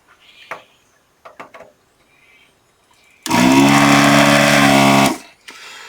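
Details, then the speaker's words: Desoldering vacuum gun, trigger held as the tool leaves the joint: pump buzzes at one steady pitch about two seconds with no sag on removal, showing the nozzle sucks freely and is clear. "did you hear that didn't change when I removed the tool that is absolutely cleaned out"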